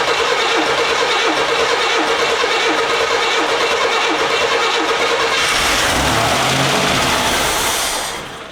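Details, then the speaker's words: 1981 Chevy Camaro started after sitting many years, old fuel: long cranking hum with steady chatter turning into a harsh roar as it catches, then dies; concerning startup noise, massive leak found at the base, cause unclear. "That noise is always very concerning cuz we're Oh, man."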